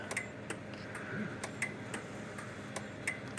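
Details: Kencove KF13000 dual-output fence energizer after repair, case taped together, working like a dream: crisp clicks at a steady two per second over a quiet background; pulsing normally.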